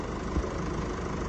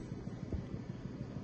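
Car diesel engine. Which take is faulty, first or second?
second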